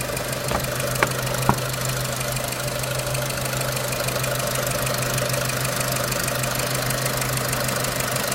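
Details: 2006 Renault Clio 3 1.4 16v petrol, 174,000 km, 5W40 oil, owner suspects oil too thin; light loosely regular tick about twice a second at idle; engine ticking, cause unknown.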